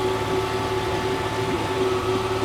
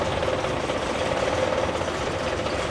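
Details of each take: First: Honda 30 outboard running without its lower unit, carburetors untuned, revs high from low fuel and lean mixture: fast, steady even hum, the earlier knock gone, so the knock was traced to the lower unit. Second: Honda 30 outboard at idle with propeller removed, bent propeller shaft from a hit, carburetors cleaned but untuned, oil pressure normal: dull uneven knock about four a second that disappeared with the lower unit removed, gear knock from the lower unit.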